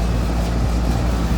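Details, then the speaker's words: 2003 Carrier 38CKC 3-ton AC condenser with Bristol reciprocating compressor and 3-blade 18-inch galvanized Revcor fan: steady low rumble of compressor and fan with wind buffeting, even and unbroken; suction line cold and sweaty, liquid line hot, working properly. "the suction line is really cold and sweaty and the liquid line is nice and hot so we all know for a fact that this unit is working properly"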